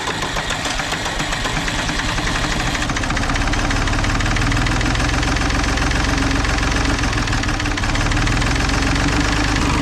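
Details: 1960s Ford diesel tractor, revived after about 20 years in a barn, missing front end and radiator: heavy, rough clatter with an uneven knock about four a second at cold idle. Only two cylinders fire until the third kicks in; engine worn, cause unconfirmed.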